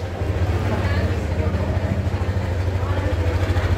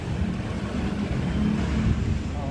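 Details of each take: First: Yamaha NMAX 155 VVA scooter idling, and also at raised engine speed, with a coarse, uneven low rumble pulsing about three times a second, from a rotating part; attributed to a worn outer camshaft bearing. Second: Yamaha All New NMAX 155 VVA after replacing outer crankshaft bearing for rough engine noise: low, even rumble with no knocks or rattles; normal idle, problem cleared.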